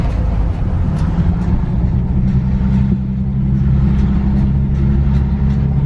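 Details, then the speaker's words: Infiniti G37S driving at around 20: low droning helicopter-like rumble with faint sharp clicks about twice a second from driver-side wheel; owner suspects a loose wheel bearing. "definitely a loose wheel bearing this is definitely not what you want your car to sound like"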